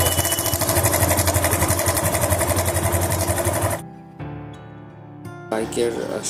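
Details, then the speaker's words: Bike engine at idle with a quick metallic clatter, about four beats a second. This is a slack timing chain; the main problem is the tensioner/adjuster. "শব্দটা আপনারা নিজে খেয়াল করলেই বুঝতে পারবেন যে সাউন্ডটা খুব একটা ভালো হচ্ছে না, একটা বাজে একটা সাউন্ড আসতেছে।"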